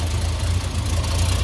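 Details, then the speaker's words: Ford XG ex-police divisional van: quieter but low, slightly rough idle with a puffing tick on each firing pulse, visible exhaust escaping the top of the manifold joint; manifold leak, rough idle. "Definitely quieter, but you can definitely hear an exhaust leak still down there. It's running a bit rough. You can see how much that's leaking."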